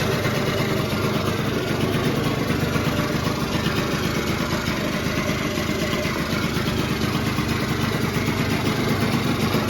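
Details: 1989 Yamaha Zuma two-stroke scooter rebuilt to 70cc with a big bore kit, new exhaust, variator kit and carb, running right after its first start. Steady buzzy idle that holds without stumbling; the motor is running pretty good.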